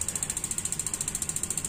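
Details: Gas water heater not lighting: fast thin igniter ticking, about twelve clicks a second, no burner whoosh or solenoid click; suspected too-high LPG regulator pressure or weak battery, not confirmed.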